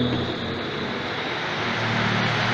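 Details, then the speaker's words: Pedestal fan that barely blew air, after replacing worn bushings and cleaning dusty blade: steady, even whoosh with smooth motor hum, no rubbing or rattles; fan running normally. "Thôi xong rồi. Chiếc quạt này xong rồi. Xong rồi. Nó quay và nguội."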